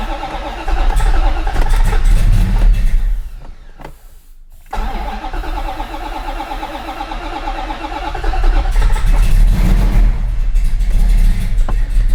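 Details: 1968 Dodge Charger V8, initial start after a rear fuel leak was repaired: starter cranks at about four turns a second with only faint catches, no running; fuel not yet reaching the carburettor.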